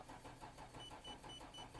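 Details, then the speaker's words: Nissan GT-R won't start: feeble, slow starter turnover with soft pulses about six a second and a chime, never catching; battery flat despite charging, lights dead or very weak. "さっきよりからちょっとせるもあったけどねさっき言わせるちょっともありましたということでちょっとこれなんかa的にa的にちょっとかっこいいんじゃないgtrもうちょっとなんかかっこいいじゃんこれ鉄くずですけどね"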